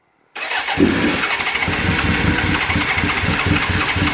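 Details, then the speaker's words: Suzuki GSXR 750 SRAD after sitting since September, choke added: steady starter whirr with uneven pops as a cylinder occasionally catches, never picks up; has spark, cranks and fires briefly but won't start. "and you can you can hear it just just firing I'm gonna put choke on so a little bit of chalk try again"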